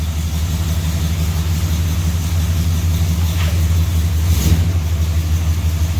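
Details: 400 big block long-bed truck outside with new spark plugs, after the head came off to fix the exhaust bolt holes: deep, steady rumble staying even and clean through the rev, no tapping or misfire; healthy.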